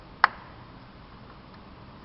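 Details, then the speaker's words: Maserati Biturbo Spyder 2.8-litre engine, stripped during overhaul: sharp clicking as the piston rocks with a lot of free play, huge gap at the upper ring. Worn piston rings, the engine's main compression and performance problem. "that's coming from the piston. Has a lot of movement. That's not supposed to happen. And the main problem with this engine was that the rings are a bit worn out."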